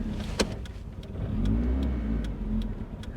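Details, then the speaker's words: 1992 Saturn SL2 twin-cam bought as a $300 beater, starting a 10-mile drive: revs surge and sag with a ragged, faltering note, engine stumbling and nearly stalling after already dying once; "she sounds a little rough", owner suspects old gas. "oh she's trying to die come on don't be like that don't be like that"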